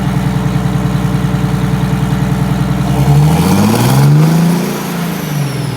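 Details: 1962 GM 4106 bus, Detroit Diesel 6V92TA, after a 39-degree night cold start: steady even idle, then a clean rev rising and falling back with no misses or knocks; running healthy.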